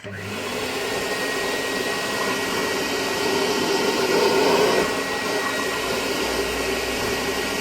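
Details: Vintage Hoover Constellation model 862 vacuum, rewired, measuring 83.1 on a sound level meter: steady motor roar holding one pitch with a slight swell midway, no rattles or grinding; it floats fine, though the switch seems faulty. Runs normally.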